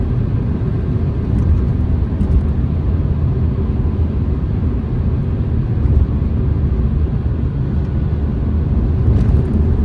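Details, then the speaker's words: Mini Cooper on a test drive: steady low road rumble with no thumps, knocks or bangs from underneath, and positive steering. Suspension works normally over the road. "Steering seems to be nice and positive. Suspension's not banging, lumping around, seems to work very well. No knocks or bangs from underneath."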